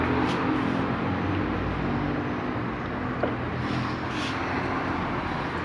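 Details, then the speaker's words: Fiat Cronos (2018/19) inside while driving, after the door was disassembled and a screw refitted with threadlocker: steady road and engine hum with no door rattle left. "barulho sem nada cadê o barulho não tem mais barulho"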